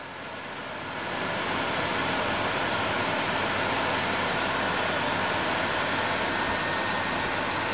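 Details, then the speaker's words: PS4 Slim with an overheating problem, before disassembly and cleaning. A steady rushing hiss climbs in the first second, then holds loud and even as the fan speed shoots up from overheating; an overheating message is expected. "the fan speed is going higher yes it is shooting up"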